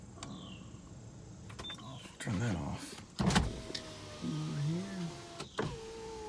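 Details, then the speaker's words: 2003 Sonata 2.7 V6, engine not running due to broken timing belt: driver window motor hums steadily as the glass travels smoothly and stops cleanly; window works normally. "so since it's not running first thing I'm gonna do is keep the windows down for you guys no rise driver side window test"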